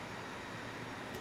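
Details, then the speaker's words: Dell Inspiron N4020 laptop cooling fan running during testing, two years after it was oiled to repair a bad fan. Soft, even whir with no rattle, scrape or pitch wobble; the bearings haven't gummed up and it runs perfectly. "hasn't been a problem hasn't gummed up hasn't jammed up the bearings hasn't caused any issues it just worked and it worked perfectly"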